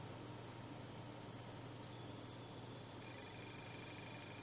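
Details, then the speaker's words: Bench power supply set to about 1.9–2 V at low output into a 24 V bulb: steady high-pitched whistle with a fainter tone joining in, the supply oscillating; shielded wires did not help and the cause is not yet found. "Так, от нуля. Вот 1,9 вольт, 2 вольта свистит. Слышите?"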